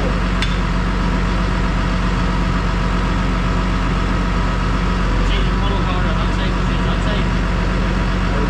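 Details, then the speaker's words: Massey Ferguson 6480 tractor diesel, sat idle for 2 years after its injector pump fell off, running after the injector pump was refitted: a steady, even deep chug with no knocks or misses. Normal running. "here and now the 6480 is back in Action so Lee has played a Blinder for us"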